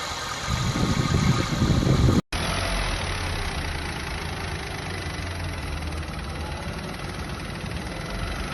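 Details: Used family car checked for abnormal engine noise: steady, even idle with a smooth low hum and no knocks or ticks riding on it; healthy normal idle.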